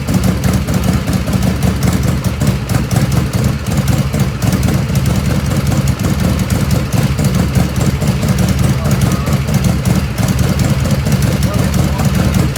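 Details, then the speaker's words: 1985 Harley FXRS Evo cold idle without choke, not at operating temperature: loud, lumpy idle with soft, uneven chuffing beat and black smoke; carbs running too rich. "it's not hot the ends is not hot right now but I know I know it's too rich it's it's chuffing you can see a little bit there the black smoke coming out"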